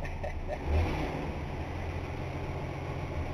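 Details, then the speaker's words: 1960 Dodge Dart, freshly started with leaking brakes: deep, steady V8 idle with an even low rumble and no knocks or misses, still a little smoky. The engine runs fine. "runs pretty good yeah"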